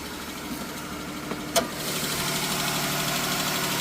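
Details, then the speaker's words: 3.6L Pentastar V6 (Chrysler/Dodge/Jeep) at cold idle first thing in the morning: light, steady tick about four per second, suspected bank one. "This the one I checked out earlier with the ticky noise. Let's see if it do it now. It's first thing in the morning. Cold."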